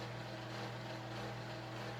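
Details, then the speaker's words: Early-1980s Panama Fan Co (Family Handyman) gear-driven 52" ceiling fan, mostly plastic with a tiny gear-driven motor and flywheel: constant low churning hum with busy mechanical rumble like a washing machine; typical noisy gear drive. "yeah it sounds like a washing machine"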